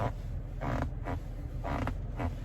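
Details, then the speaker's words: 2020 Toyota Tacoma 10-way power seat: four short dry creaks in loose pairs as weight shifts against the side bolster, cabin otherwise quiet; owner suspects the tight seat bolster rubbing against the side, not confirmed. "i seem to only get sound in mind when i move around you know when i push up against the bolstering on the side of the seat"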